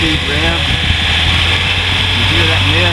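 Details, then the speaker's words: 1983 Toyota Mini Winnie engine after belt job, oily spot underneath: steady low idle, even hum, no knocks or misses, sounds pretty good before high-speed run; owner concerned about high-speed noise and exhaust mist. "sounds pretty good don't it so I'm just give it a high speed"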